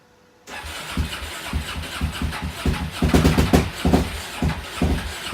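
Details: Suzuki DRZ400 single after a fuel valve change, started with the battery charger on boost: it catches and fires, then runs with uneven, lumpy thumps and irregular surges, a rough, unsteady idle that hints at running rich.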